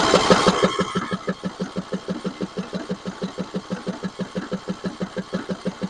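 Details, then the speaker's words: 6-year-old John Deere 100 series lawn tractor, with the choke on: steady cranking about three beats a second, never catches; the fuel solenoid would not fire, causing the no start. "the problem we found with this motor was the soleno didn't fire and that's why we couldn't get it to start this here solenoid would not fire"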